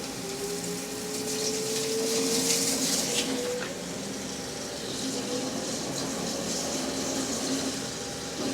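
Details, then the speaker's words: Peck drilling 17-4 PH stainless steel on a lathe at about 0.125 in pecks: a thin squeal rising in pitch over the cutting hiss as chips load up in the drill flutes. "Oh man, I was cringing over here. You could probably hear that. It just sounded like the chip was trying to load up in there."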